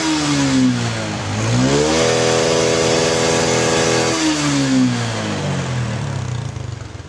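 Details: Honda Karisma motorcycle after repair for heavy oil smoke, piston found still good: blips up smoothly, holds high revs, drops back to idle, clean even pull with no knocks; slight remaining smoke from residual oil in exhaust.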